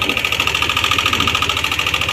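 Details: Yamaha Aerox 155 idling after start: fast metallic ticking, roughly a dozen light clicks a second, keeping pace with idle; timing chain slapping from the timing chain tensioner (adjuster).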